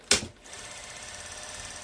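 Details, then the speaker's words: Sewing machine winding its bobbin with the presser foot lowered: rapid, even tapping of the foot chattering against the plate; advice is to raise the presser foot when only winding the bobbin. "o barulho com com calcador baixo e com calcador levantado o calcador tá baixo tá agora eu vou levantar o calcador fazer diferença"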